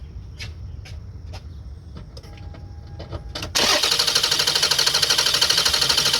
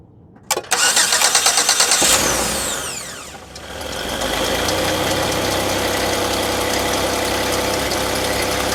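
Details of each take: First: Toyota Sienna that won't start (noid light and spark checked, good spark and fuel later found): steady, even cranking at about three turns a second that never catches. Extended cranking with no start. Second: Car, battery just reconnected after the repair: brisk, even cranking for about a second and a half, then it catches at once and settles into a smooth, steady idle. A normal start after the repair.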